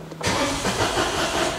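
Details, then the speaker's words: Citroen Aircross 1.2 82 PS three-cylinder after codes were cleared: fuel pump keeps running, starter churns about a second and a half, tries to fire on the first turns then dies. Cranks, no start; cause not confirmed. "now that fuel pump keeps running can you can you hear that the first second of its fewer first few turns it tries to Fire"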